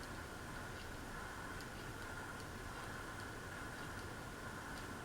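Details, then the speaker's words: Harbor Breeze Vector Elite ceiling fan on low speed: quiet steady whir with a faint tick about every 0.8 seconds as the fan wobbles on its mount; badly off balance from blade imbalance. "is just way off balance"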